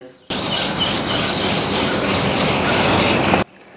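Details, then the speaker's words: Dana 60 differential long-side carrier bearing and race, spun by hand with the carrier out: dry, gritty rasping rub. Bearing ruined by debris after the rag was left out of the long side, so carrier and pinion bearings are being replaced. "and here's the long side bearing and race that it's not good so these bearings can you hear them"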